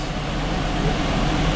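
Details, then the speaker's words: Ford V10 after passenger-side camshaft replacement, first start with cam caps and gear torqued: deep, even rumble with no tapping or ticking, quiet healthy idle. "It's purring! Listen to that thing. I can't believe it, Wayne. Wayne, that's a win, man. That's a freaking win, man. Holy cow. That's quiet. It's quiet. It's running."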